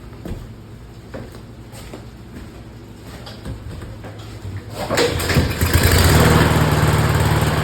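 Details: Briggs & Stratton 675EX engine that would not start, after repair and reassembly: a few slow pulls, then it catches and settles into a steady, even putter of about four beats a second.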